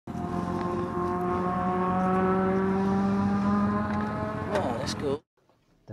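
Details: Pontiac Fiero Turbo, destroyed on the last lap of a track day: a running engine with a hard, repeating metallic clack under its drone, rod knock after a connecting rod lost its bearings.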